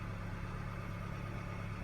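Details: 2013 Hyundai Sonata petrol engine idling smoothly with a steady low hum, no knocks; after fixing fault codes P06A5 sensor reference voltage D circuit high and P0193 fuel pressure sensor, check engine light cleared.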